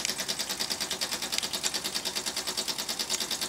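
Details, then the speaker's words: Weeden model toy steam engine on homemade boiler at about 5 psi, throttle (B valve) about half open: quick even light hissy chuffs about three per second, no knocks or misses; nice chugging, running healthy. "not sure if you can hear it, but it makes a nice little chugging sound."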